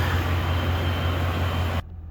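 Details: 2010 Ford F-150 5.4 Triton V8 just after oil change, 7 quarts with Lucas additive, oil pump pre-lubed: steady even low idle rumble with no knocks or ticks, then drops away cleanly; normal idle.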